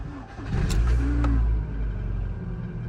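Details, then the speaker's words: Rover Streetwise with K-Series engine started from frozen in an Irish cold spell, out of gear: brief crank, then it catches at once and settles into a steady, even idle with no knocks or misses; healthy cold start. "Started with absolute aplomb. Look at that. What a cracking engine the K-Series is."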